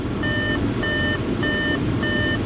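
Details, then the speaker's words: S-line car at auction, just started, idling with heater on: even electronic beeps about every half second over the idle, the door-open warning, stopping when the door is closed; no mechanical noise. "I mean other than this annoying beeping which maybe close the door there we go that's better"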